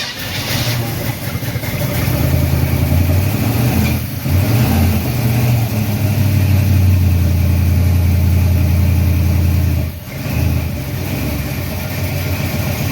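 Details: Freshly built 350 Chevy on first break-in run, oil pressure around 46 psi, timing not yet set; even, strong V8 rumble holding steady with no ticking or knocking: normal raised idle.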